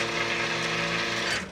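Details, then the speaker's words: Quick Mill Vetrano heat exchanger espresso machine left idle, group lever pulled with portafilter removed: pump drone under a hissy, sputtering rush as brew water around 214°F, above boiling, flashes to steam. "and you can hear the sputtering of the hot water as it comes out because it's heated to temperatures which are actually over the boiling temperature of water"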